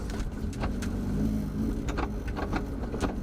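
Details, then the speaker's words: Modified BMW E36 at crawling speed: sharp irregular clicks, a few per second over a low engine murmur; owner suspects driveshaft or transmission, source unconfirmed. "click click click click click it just clicks a lot I don't know if you guys can hear the clicking on on camera I really don't know what that is I think it has something to do with my drive shaft in the transmission"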